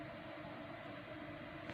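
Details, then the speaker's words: Computer fan that hummed at power-on, after disassembly, cleaning and a drop or two of oil: soft, even hum with faint steady tones and no rattle, buzz or grinding. "и спокойствие никаких посторонних шумов нету я причина работает"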